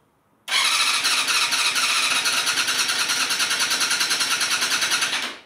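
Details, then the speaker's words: Vintage Yamaha YZF 250 that sat outdoors for 10 years, carbs previously cleaned, on full choke. Steady starter cranking about three pulses a second that never fires. An ignition box connection was unplugged, so there was no spark: cranking, no start. "me check the spot box no oh this is not even connected oh damn damn dog all right let's connect that all right one of the coils was firing"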